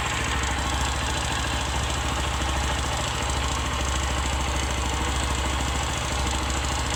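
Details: 150 cc motorcycle single, engine rebuilt 1.5–2 years ago, at idle: loose, uneven tapping about three knocks a second in the beat, louder when hot; owner suspects a worn piston, possibly valve seat or head bearing, unconfirmed.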